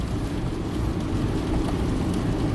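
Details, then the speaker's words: 2007 Honda Fit, 130k miles, after cleaning the ignition coils and boots (plugs replaced 20k miles earlier) to cure a misfire under load on a grade: steady, even engine drone while driving, no stumble, perfect misfire graphs, drives like a dream. "so after cleaning all the coils and the boots we have absolutely perfect misfire graphs here the car drives like a dream"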